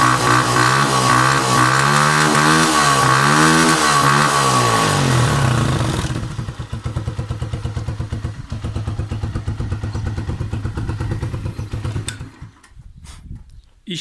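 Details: Motorcycle that had stuttered and stalled after sitting outdoors in rain and snow, kick-started (battery dead) after cleaning the tank, tank valve filter and carburetor: after some music it settles into an even, steady single-cylinder idle with no misses. Normal idle.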